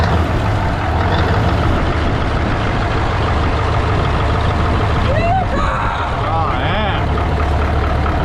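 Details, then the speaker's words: 1980 Peterbilt 359, Cat 3408 diesel revived after years sitting: deep steady rumble with an even beat, no knocks or misses; 80 psi oil pressure, sounds good. Normal idle. "That thing sounds good. It sounds good. Dude, that thing sounds good."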